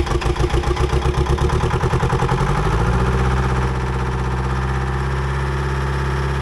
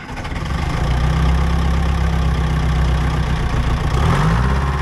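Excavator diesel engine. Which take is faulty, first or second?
second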